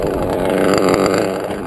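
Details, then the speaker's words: Modded Reds R5R .21 RC nitro engine, run deliberately rich for protection: soggy, uneven, smothered idle that may cut out; engine loaded up, smoking, needs clearing, idle not right. "if it cuts out your idol's not right it's kind of loaded up let me clear it out again"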